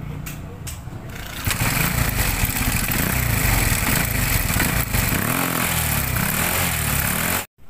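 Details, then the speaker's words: Euro 125 motorcycle single-cylinder engine idling with a loud, dense metallic clatter; owner was told connecting rod, but the cause is a loose timing chain, to be replaced with a new timing chain roller chain; engine also smokes and leaks. "problema ni ni boss Yung kanyang timing chain maluwag na so magpapalit tayo diyan ng timing chain roller chain"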